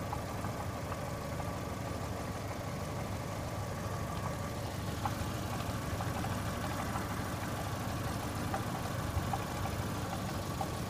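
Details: 2002 Saturn S-series at idle, code P0440 persisting after cleaning metal hose to exhaust manifold: steady idle with faint irregular metallic clanks, gurgling, muffled cowbell rattle; owner suspects something in front pipe or catalytic converter, unconfirmed.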